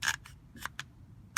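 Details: 2005 Ford Freestar door lock actuator, removed: irregular bursts of dry plastic clicks, two or three per second, no solid latch thunk; gears inside suspected stripped.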